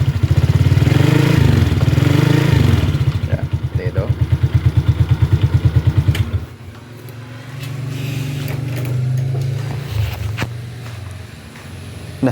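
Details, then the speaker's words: 2013 Suzuki Shooter small single idling just after start: first rough until the piston is lubricated, then deep, even thumping exhaust pulses settling quieter; owner likes the bassy exhaust note, normal healthy idle. "Nah, yang saya suka dari motor ini itu knalpotnya itu suaranya agak kebas ya."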